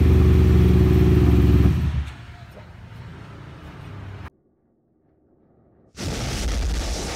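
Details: Kawasaki Ninja 250 twin-cylinder carbureted motorcycle after carburetor tuning for a stumble and delayed response at low to mid rpm: engine snaps up cleanly through a strong rev and drops back without stumbling or bogging; throttle response healthy.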